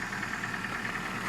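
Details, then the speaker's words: Ford Focus 2, 1.6 petrol 115 hp, 163,000 km, cold morning start, oil due for change after about 7,000 km: a light, regular ticking knock over the cold idle. The cause is unconfirmed; the owner suspects the oil. "вот принципе машина холодная и немножко появился стук"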